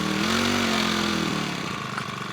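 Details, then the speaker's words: New Makita EBH252U petrol four-stroke brush cutter, first start from cold on choke, 2–3 minute warm-up before backing choke off or it will die; runs fast, buzzy and slightly uneven but fairly steady, normal cold idle. "You need to progressively take the choke back as it warms up. It takes 2 or 3 minutes just to warm up,"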